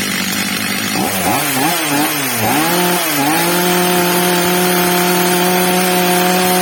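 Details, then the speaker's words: Old, well-worn Stihl MS230 chainsaw after replacement carburetor and clutch springs, during tuning, carburetor screw leaned to raise revs: revs wander and hunt a few seconds, then settle to a clean steady high whine; now running right. "teraz drodzy widzowie byliśmy świadkami ustawienia gaźnika pierwsza co robiłem Zwiększyłem śrubą wkrętem regulacyjnym tel wkręcają delikatnie Zmniejszyłem dawkę paliwa obroty pilarki zwiększyły się"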